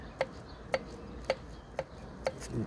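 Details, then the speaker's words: Johnson 70 hp outboard, torn down: five sharp metallic clacks as a piston is rocked in its bore; piston-to-wall clearance out of spec (max 0.0055 in) causes piston slap, cylinder scoring and power loss. "what I want you to see is this is what's causing the uh what's causing the is this piston slapping now watch what happens when I move it and hear how much I can move that piston"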